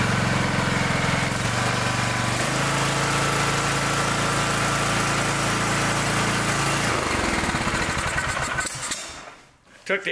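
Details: Ride-on mower single-cylinder engine that had run like choke was on with fouled plug, reassembled and restarted (air filter later found plugged): steady, even firing about three pulses a second before shutdown; running normally.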